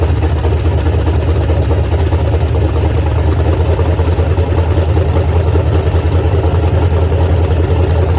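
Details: Foxbody Mustang, freshly installed 331 stroker V8 with Comp Cams, T5 manual, first start: low, steady idle with an even rumble and no knocks or misses; fresh engine running cleanly.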